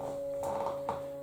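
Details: Stepper motor of a DIY lathe/mill power feed on a 24 V supply with pulse modulator, running on the bench; smooth steady mid-pitched hum with light handling knocks, no grinding, vibrating on the table; normal stepper hum.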